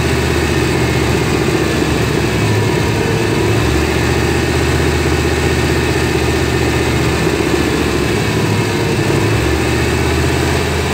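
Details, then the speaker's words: 1993 GMC C1500 5.7 V8 at idle with an O2 sensor stuck rich: the low rumble sags and recovers as the fuel trims pull fuel away and add it back, a surging idle caused by the bad O2 sensor. "okay you can really see those fuel trims pulling that gas away and then it surges down then it lets more gas and it comes back up so this is all caused by bat O2 sensor is what's going on here"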